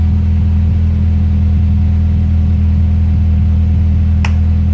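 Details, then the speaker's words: Honda Prelude H22 after replacing the leaking intake manifold gasket and cleaning the intake: deep, even idle rumble that holds steady with no hunting or surging, vacuum-leak idle surge fixed. "I'll show you guys first started hello dirty Wow in letters that I as you clean that whole intake and all that good little leave quickly got a nice Idol now"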